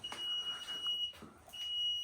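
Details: Newly installed HVAC system in a basement: the unit's alarm gives long, high, piercing beeps about a second each with short gaps, and the cause is unknown.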